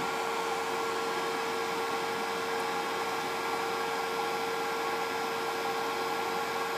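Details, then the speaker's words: Pinzgauer 710K Eberspächer B4L/BN4 gasoline heater on bench before restoration, relighting near 30 °C after the pump doses fuel to the burner: smooth constant hum of the flame over an even hiss, temperature climbing; burning normally. "we can hear this the the humming of the the the the the flame now the temperature is climbing"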